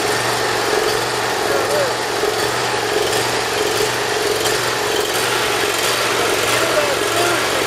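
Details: Cold start on full choke of a Briggs Intek V-twin on a Dixon mower. It follows valve lash adjustment, reaming of the Nikki carburetor low-side jet journals and an oil change. It settles into a steady even hum with no surging or misfire, starting easily without starting fluid. Normal running.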